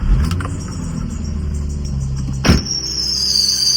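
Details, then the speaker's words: Nissan 350Z VQ35 engine at idle, before serpentine belt and idler pulley replacement: high-pitched steady squeal, getting louder and sharper after a brief knock; worn serpentine belt. "And now it's not making as much noise, but the serpentine is making a lot more th"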